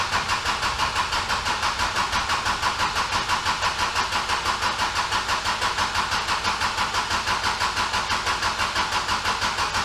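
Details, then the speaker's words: Kubota L4701 diesel tractor, just under 500 hours, during a full service with fuel filter change: fuel system primed by key cycling three times, fuel pump heard clicking, yet the starter cranks steadily at about three pulses a second with no firing; cranks but won't start. "would you believe it lucky number three didn't do it that's all right I'm not worried about it"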